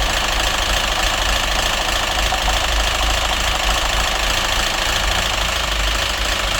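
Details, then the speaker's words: Citroen DS3 1.6 petrol, busy fast ticking clatter from the top end at idle, about three per second. It had been run without oil, with hunting idle, diesel-like running and rich-mixture, oxygen sensor and phasing codes. The noise is unchanged after a part swap; head or crankshaft suspected. "ничего не поменялось потому что мотору [ __ ] по-другому я не скажу Надежда была всё это уже мас не поможе когда двигатель поработал без масла и ему настала [ __ ] то уже ничего не сделать"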